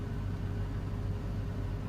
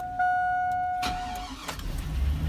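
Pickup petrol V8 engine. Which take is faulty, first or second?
second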